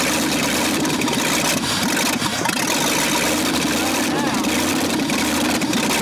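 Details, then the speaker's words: Buried, neglected 1965 Ford F100 cranks steadily but won't start, no firing; engine needs heavy pumping of the gas pedal, owner suspects not enough fuel reaching it or too much air. "It's still not getting enough gas down in there for some reason. Or we're getting too much air, I guess is what it would be. Yeah. Because I'm having to really pump on it. I was hoping it'd crank around."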